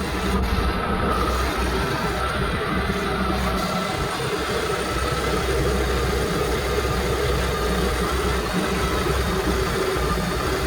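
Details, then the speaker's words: 2011 Yamaha AR210 boat, original engine replaced with a used low-hour, good-compression MR1 jetski engine, first run after install on flush hose; steady low rumble with water rushing through, no knocks or misses, running smoothly. "The engine has been installed, all the plugs are in, I have my hose in. See, it turns on."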